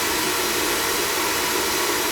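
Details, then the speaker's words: Oil-fired furnace that had been tripping out on safety, now firing right up after fittings were checked and the oil line flushed; steady, even burner roar with no sputtering or pulsing, burning cleanly and normally. "the [ __ ] cool guy now she fired right up"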